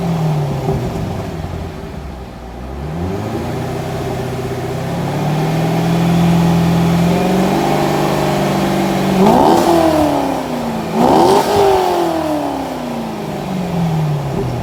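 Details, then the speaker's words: 2001 C5 Corvette Z06, about 30,000 miles, bone stock exhaust before MagnaFlow cat-back install: steady low burble at idle, deep rising roars on throttle blips settling back evenly; normal idle and revving. "this is a bone stock one z06 and we're gonna fire it up and see how it sounds at idle give it a few revs and then we'll see what it sounds like when it's uh all finished and complete"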